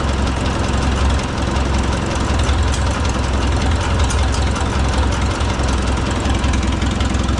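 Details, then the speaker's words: Oliver 66 tractor with replacement Marvel Schebler TSX carburetor, idle screw backed out after labor point: deep, even exhaust thump at slow idle, no laboring; idle mixture correctly set. "So then you back your idle screw back out until that labor goes away."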